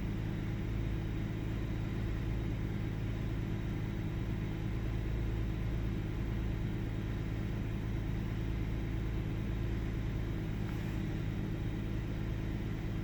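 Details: 1998 Ford Taurus SE OHV V6 idling with the hood open: low rumble with an uneven beat, slight speed hunting and an occasional stumble. Missing at idle; earlier swung 400-1000 rpm with no warning lights. Cause unknown.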